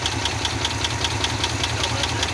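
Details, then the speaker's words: 1969 Ford F-250 with a believed 390 FE V8, first start after sitting 21 years on old oil. Sharp, even ticking about five times a second over a rough, low idle; they disagree whether it is an exhaust leak or valvetrain; source unconfirmed. "It's idling. No way. That's not an exhaust."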